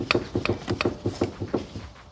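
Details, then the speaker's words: 2006 JDM Toyota Estima front suspension noise: sharp wooden clunks about four a second as front sway bar end link is rocked by hand under the raised van; worn sway bar end link. "try not to move the camera, that's that noise that I'm hearing."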